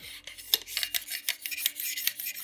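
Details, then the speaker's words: Modify Steyr Scout ELITE spring airsoft sniper, cylinder slid into receiver: dry rasping metal scrape, steel cylinder rubbing on aluminium receiver wall instead of guide rings; guide rings same diameter as receiver bore. "Also hier, wie gesagt, hier reibt der gesamte Stahl im inneren Bereich übers Alu drüber und eben nicht nur über die Gleitringe."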